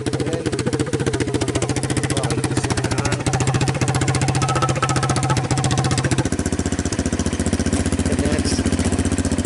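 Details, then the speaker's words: Honda TRX200SX single-cylinder ATV engine in a custom EZGO golf cart, after fitting a new custom exhaust where it had no muffler: quick, even idle thump with an occasional exhaust pop, otherwise clean. "That's the after. Kind of pops it off, but that's what it sounds like after."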